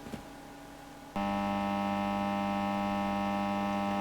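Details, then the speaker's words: VVT Lindy Fralin model combo guitar amp: loud, steady low hum. A scope shows about 300 V of 50 Hz mains ripple across a smoothing capacitor that is not working at all, the cause of the hum. "We've got 300 volts of mains hum on there. That capacitor is not working at all. So, uh, no wonder that's making a horrible noise."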